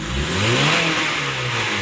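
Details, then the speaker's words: 2008 Honda CR-V/HR-V after fixing code P1659, a faulty relay in the front fuse box: idle at 900 rpm, then a free rev climbing smoothly to the 5,000 rpm limiter with no hesitation or misfire; healthy. "Oke untuk akselerasinya ini sampai 5000 RPM ya"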